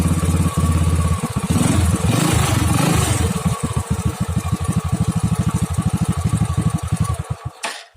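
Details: Honda Astrea Grand motorcycle with a dead electric starter, kick-started: engine turns and fires unevenly after a hard kick, then stumbles and dies within seconds; weak spark traced to a faulty CDI.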